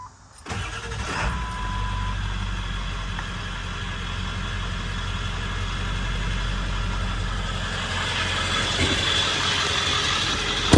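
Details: 1999 Ford F-350 Lariat Super Duty 4x4, 7.3 Powerstroke diesel, 46,385 miles: cranks briefly, catches quickly, settles into even, steady diesel clatter with no misses or knocks; normal start and idle.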